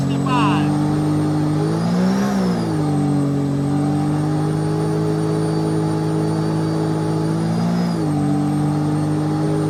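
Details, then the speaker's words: 2010 Sea-Doo RXT 260 with SBT rebuilt supercharged engine, regular mode: smooth steady drone with rising supercharger whine on two throttle pulls, dropping back cleanly; runs evenly. "let's bring it up to 4500 now we can hear the supercharger engaging and let's bring it up to"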